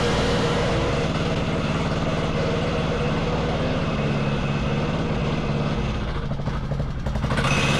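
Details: Wacker Neuson VP1030 plate compactor after governor, throttle lockout and carb adjustment: steady thumping of a small single at working speed, plate pounding evenly. It runs normally; owner suspects worn clutch springs engaging at low revs.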